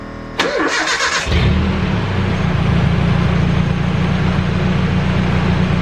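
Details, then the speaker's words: 1995 Nissan Hardbody truck after replacing the starter and moving the battery and relay box to the bed: brief starter whir, then it fires within about a second and settles into a steady, even idle; the starter is healthy. "in order for you to be able take out the starter it cranks really good once let me show you"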